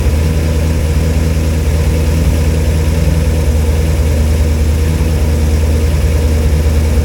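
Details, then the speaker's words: Cold V8 (flat-tappet cam, after a wiped cam lobe and teardown) idling with good oil pressure at 40°F, no water pump fitted so run only briefly; deep, even idle rumble, no clacking or knocking: normal cold idle. "well it runs it sounds good it ain't clacking it ain't knocking it's idling you know as you expect the cold engine you know it's 40° out here and I have no water pump so that's all I'm going to run it for"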